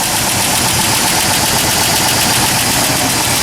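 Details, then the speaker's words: 1997 Ford F150 4.2L at cold start, about 35°F: quick light ticking about four per second, worse the colder it is. A lifter is suspected; recorded before adding Marvel Mystery Oil. "so this is my 1997 for F150 4.2 L engine um and I started up in this cold weather it's about 35° I get this ticking noise as you can"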